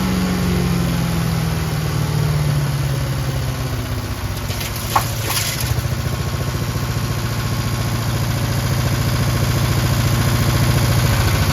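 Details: Craftsman chipper shredder with a heavy flywheel, on old brownish gas; it started on choke with one pull and gives a steady single-cylinder putter at constant speed with no misses or knocks. Normal healthy running.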